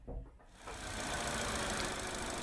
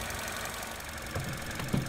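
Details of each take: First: 2014 Vauxhall Corsa E 1.4 petrol, engine cover off, idling: rough uneven idle with intermittent clicking, engine shakes on each click; coil pack arcing misfire from water ingress corroding coil contacts and plugs, coil and plugs replaced. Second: 2014 Vauxhall Corsa E 1.4 after a new coil pack and spark plugs fixed its misfire and jerking: steady, even idle with a smooth low rumble and no skipping or clicking; normal idle.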